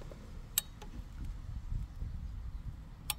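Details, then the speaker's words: Oil-fired boiler thermostat with its phials refitted into pockets that had held no water, which had let it overheat unnoticed: two sharp, isolated clicks about 2.5 s apart over a quiet low hum, switching normally at around 85°. "and our thermostat is now clicking it's clicking it around 85 there"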